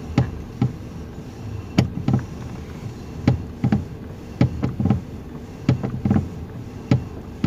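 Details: 2019 Toyota Rush, engine running, steering turned left and right: sharp single and double clunks every second or so over a low engine hum; the suspension checked fine, so it comes from a loose steering column bolt and a worn bushing.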